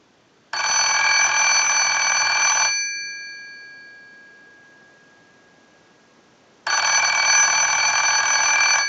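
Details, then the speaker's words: PTT rotary desk telephone after repair, bell issue fixed, ring cycle sent from an analyzer: bright, even bell rings in two-second bursts with clean pauses. Ringer healthy. "we want to go ahead and use the analyzer and send a ring cycle so we'll start that we're going to let that go a few times"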